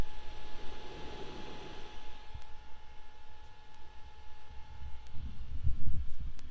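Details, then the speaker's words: FLSUN Q5 delta 3D printer just switched on, before heating or printing, microphone held low near the hot end cooling fan: a faint, steady, mid-pitched hum with no rattle or pulsing; the fan runs normally. "so there's two places right now that noise are coming out of one is this fan here this is for the hot end"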